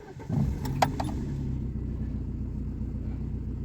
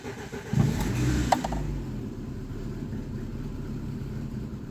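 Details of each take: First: ВАЗ 2115 that started hard and stalled when cold, after replacing intake/injector seals for air leaks: cold engine catches quickly and idles evenly with no miss, no leaks, no errors. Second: VAZ 2115 starting cold: low uneven rumble with brief surges as it tries to catch, then sags and stalls; hard cold starting suspected to be an intake air leak, and valves also noisy and needing adjustment.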